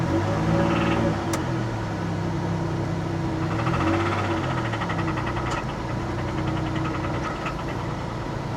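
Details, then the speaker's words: 2002 Pontiac Grand Prix GTP, 104,000 miles, at idle; low rumble with an irregular knock around three to four beats a second that shows on a light throttle tap; engine knock. "yeah. That's a little bit of a knock in the engine. I didn't even step on it. I just lightly tapped a light tap of the gasoline this car."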